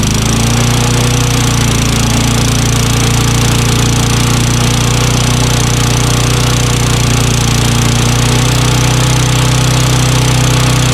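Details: Curb-found Craftsman push mower with Tecumseh engine, running after a new magneto, checked valves and intake/carburetor/cable replacement: single-cylinder holds a steady, even speed with a constant buzzy drone, no misses or surging; running normally.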